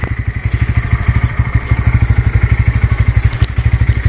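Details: 2024 Bajaj Pulsar N150 after service, started for vibration test: even, steady thumping idle about three beats a second, no clatter or misses, slight vibration; normal idle.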